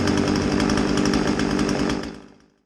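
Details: Old Husqvarna 36 two-stroke chainsaw, test run after a tune-up with new fuel line, having possibly not run in decades. A steady, even high-revving buzz for two seconds, then it shuts off cleanly; running normally.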